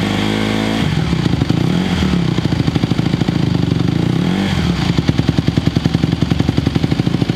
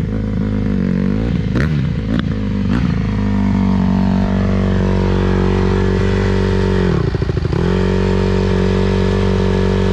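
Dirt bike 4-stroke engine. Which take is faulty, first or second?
second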